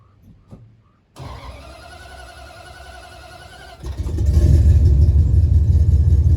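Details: 1977 Dodge D200 360 V8 with new intake and rebuilt carb not yet tuned, leaking coolant, no kickdown linkage; after a test drive it settles into a smooth low idle then revs cleanly and strongly with no miss or knock: healthy.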